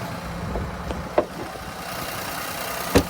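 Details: 2020 Infiniti Q50 3.0 twin-turbo at Copart idling steady and even, no misfire or knock, not shaking, a couple of stray clunks around the car; engine sounds healthy.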